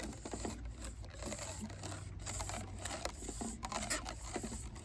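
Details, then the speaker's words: Moldy VHS tape with sticky shed syndrome being wound at full power with hand-held tension past isopropyl cleaning pads: irregular dry crunching and ripping scrapes over a low motor hum as the stuck layers peel apart, tape at risk of stripping and breaking. "And then you have to manually kind of just keep the tension. I've got pads around there cleaning it, but this particular bit, you can hear the crunching."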